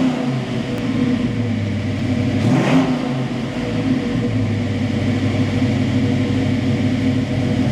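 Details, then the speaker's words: Foxbody Mustang V8 with an ongoing idle problem, hot day: steady idle with one brief blip, settling at about 1000 rpm, higher than it should be; owner plans to unplug the IAC and set TPS and base idle. "it's idling right about a th000 so it's not like I don't have the RPM high enough to sustain they're way higher than they actually should be"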